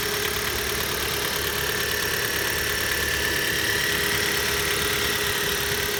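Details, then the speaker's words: Cold Hyundai/Kia G4FC 1.6 petrol engine just started at idle: a light, fairly quick tapping of about four per second rides over the injector ticking. It is a mild engine knock of unknown origin. "Двигатель холодный. Есть какие-то непонятные стуки. Легкие. Перебивающий цокот форсунок."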